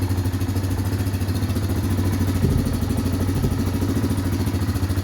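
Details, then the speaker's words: Fuel-injected 2016-2018 Yamaha Kodiak/Grizzly 700 ATV idling right after an oil and filter change while checking for leaks: low, even thumping idle about three and a half beats a second, no knocks; normal idle. "Make sure we don't have any leaks anywhere. Always start it up and check for leaks. Everything looks good."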